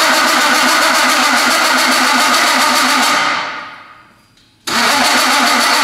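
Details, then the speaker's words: Fully built high-compression BMW M54 with M50 intake, first start attempt: fast even cranking with the starter spinning freely but no firing; plug gaps closed by piston contact, so no spark. "So, I we have everything working. I think everything's communicating. The engine's not starting."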